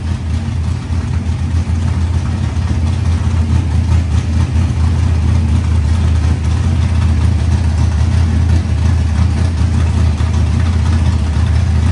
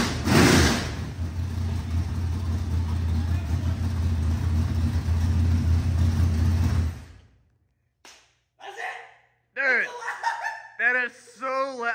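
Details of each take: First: Rebuilt 25-year-old SBC 400 race engine, run cold briefly with no coolant: deep steady V8 rumble at a fast idle, about four even pulses a second, before shutdown; idle too high, tuning planned. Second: 25-year-old small-block Chevy 400 race engine on its first start after a rebuild with new rocker arms, ARP head studs and reworked timing: fires right up into a loud, deep, steady V8 rumble. Healthy idle and rev; the starter solenoid still needs fixing.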